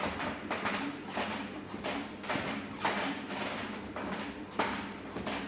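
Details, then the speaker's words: Walkingpad A1 Pro walking treadmill running with a low, even hum and soft rhythmic belt thumps, no knock; after disassembly, the strange noise near the motor, caused by a sticker that came off the motor, is gone. "Ну, характерного звука нету."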